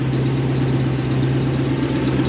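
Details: 1UZ-FE Lexus V8 in a Toyota Hiace van on a 2005-era ECU, after a wiring fix only with no tune changes: steady even idle with a low smooth burble, no misses or knocks. Before the fix it was chuffy. Normal idle.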